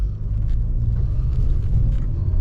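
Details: 2010 VW Golf driving after an ABS repair: steady low road rumble with no growl or hum building with speed; rear wheel bearing sounds healthy.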